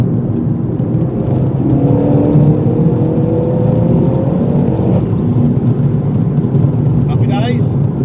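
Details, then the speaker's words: Vauxhall Corsa VXR after replacing the coil pack: engine note climbs smoothly under boost in third gear, hard acceleration, with no cough, hesitation or misfire; earlier slight misfire on boost now fixed. "Sorted, no problem. The misfire has now gone."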